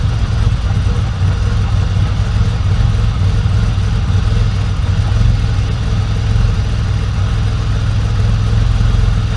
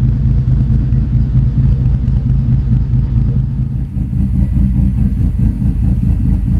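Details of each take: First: Freshly started engine on Link Fury ECU first start after 10% crank fuel enrichment fix: steady, even low idle before base timing offset is set. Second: After setting base timing on a Link Fury ECU, idle deliberately tuned lumpy via timing: deep, loping idle with an uneven chop in the low rumble, a deliberately rough cam-style lope with nothing knocking.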